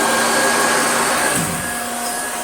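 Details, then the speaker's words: Damaged Hoover Junior 1354a Dirtsearcher upright vacuum running: steady high motor whine with no beater thump, brush roll stopped or rattling; very sloppy belt slipping on the pulley. "The brush roll doesn't do much. You can just hear it. It's stopped. Or it makes a weird rattly sound."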